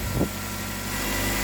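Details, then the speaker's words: 2010 Nissan Altima 2.5 with misfire, restarted after cleaning oily intake, before oil change; brief miss at start then idle settles smooth and even, misfire cleared: normal idle. "yeah missed fire for a little bit and now it's cleared up"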